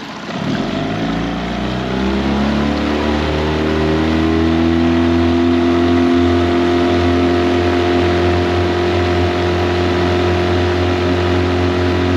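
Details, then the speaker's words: Tohatsu 9.8 long-shaft outboard on the lake after maintenance, out of no-wake zone at top-end speed: steady high-revving drone climbing smoothly then holding, no misses or knocks; ran great for hours; normal full-throttle run. "Okay guys, so we're out of the wake zone. Let's see what this thing can do on top end speed."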